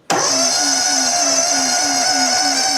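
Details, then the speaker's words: EZ Liner power pack engine, warm, started with key on and half choke after checking compressor and hydraulic levels, hydraulic bypass on, air drain valve open. Catches at once into an even quick run, no stumble or misfire: normal warm start. "This unit is warm, so I'm not going to choke fully. I'm going to choke half and crank it over."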